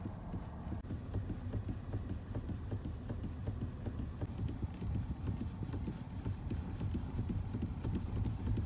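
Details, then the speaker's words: Chery Exeed TXL at 4,337 km, steering wheel turned slowly at standstill, listening underneath: quiet, irregular dull knocks in a steady stream, suspected play in steering joints, not confirmed. "вот я буду медленно крутить руль и будем я считаю что это не очень нормально как бы на автомобиле с таким пробегом что-то там не так"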